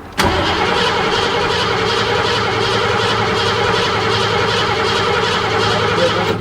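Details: 1986 Ford F-150 5.0 L, towed in: steady even starter cranking for about six seconds during a spark test, intermittent spark present, engine never catches; crank no start.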